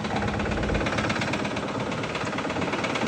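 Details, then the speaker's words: Dodge 6.7 Cummins diesel at idle: deep, heavy bottom end knock, about three a second, standing out over the diesel clatter. The engine needs replacing. "Dodge has got a bottom end knock, as you can hear. Woo! Time for an engine. Not good."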